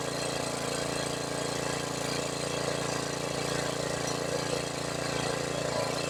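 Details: $100 used generator, long sitting, with a rebuilt carburetor and a fuel leak: small single-cylinder engine holding a steady, even hum at constant speed with no misses or surging; it runs normally.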